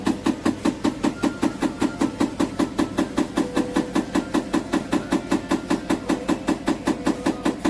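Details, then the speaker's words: GEDTECH GLL71200WH 7 kg 1400 rpm front-load washer, under 3 months old; steady rapid knocking about 2.5 beats a second in time with the drum, which rubs the door and left a mark; owner suspects manufacturing defect. "Et le tambour, quand il allume, ça touche à la porte. Il y a une trace ici."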